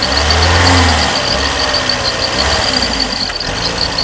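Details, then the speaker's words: Mercedes W201 2.5-16V manual, parked for years, hot, return flow only about 1.0 L (standard over 2): fast idle over 1000 rpm that surges and sags, unstable from insufficient fuel supply, and it will not rev high. "It's currently running at over a thousand RPM. The engine is also unstable. This is caused by insufficient fuel supply."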